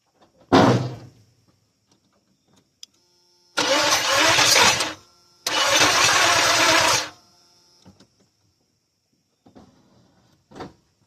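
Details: 1986 K5 Blazer engine being timed after distributor reinstall, possibly 180 out; two cranking bursts of about a second and a half each, never catches; crank no start, cause unconfirmed.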